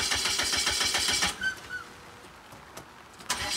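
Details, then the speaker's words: Newly bought 2.4 L turbo PT Cruiser on a trailer, tank empty, parked on a hill: starter churns steadily at three to four turns a second, stops, cranks again without firing; crank no start, out of fuel. "she's got zero gas just enough to get it on the trailer you know what I think it's cuz we're on a hill"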